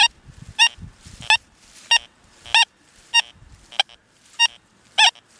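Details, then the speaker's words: Deus 2 metal detector, 11-inch coil, over a dime 10+ inches deep, beach program: short clean warbling tone bursts with each sweep, reading high 90s; smooth solid deep-target signal. "That's a smooth signal, but it's reading high 90s."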